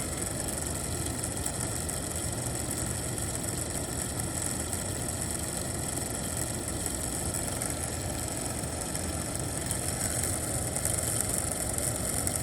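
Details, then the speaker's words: 2004 Winnebago Adventurer 33V coach heater blower motor on the bench after repair, now with three small washers instead of one big washer: steady whirring hum with no scraping or rattle. Still noticeable but much quieter than with the big washer. "I mean I hear it but it's not so bad it's a lot better than the bigger"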